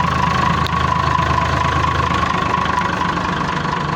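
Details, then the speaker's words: Perkins 6.354 series 1 diesel at idle with uneven stumbling clatter about three to four beats a second, a cylinder missing, blowing blue smoke, oil pressure still good; owner suspects broken ring or piston. "Here she is. 354 Perkins with a miss in"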